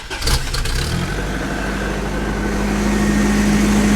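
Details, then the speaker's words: 1989 Toyota 4Runner 22RE engine, fairly new motor, cold start; catches and settles into fast idle with faint uneven tapping, louder at higher rpm; owner suspects rod knock at certain rpm — engine knock at certain rpm. "uh it has a rod knock in one of the rods I think uh I'll start it up for you let you hear for yourself uh it's only at certain RPMs that it does this"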